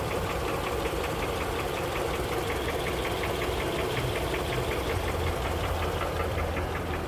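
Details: 2007 Honda CR-V, K24Z1 engine: sharp diesel-like metallic ticking over the running engine, quickening as throttle opens; knock present for a year, cause undiagnosed after repeated valve adjustments and multiple shop checks.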